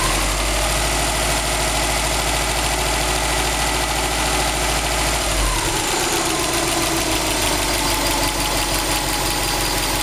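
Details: 2002 Subaru WRX STi, warm idle at 85°C oil temperature, 1.8 bar oil pressure and 21°C ambient, 800 km after a short-block replacement: a faint ticking knock over a steady idle, with the note shifting partway through. Engine knocking, cause unknown.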